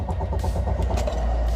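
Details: Car run until the fuel tank was empty, then topped up with 2 litres with the low fuel warning still on: steady fast cranking that never catches or fires; no start from fuel starvation.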